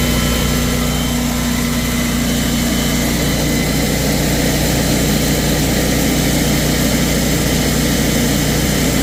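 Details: Kohler 14kW generator, model 14RCA, test run after replacing the dried-out, broken bushing that caused loping: a steady low drone holding constant speed with no surging or hunting. Now running smooth and even.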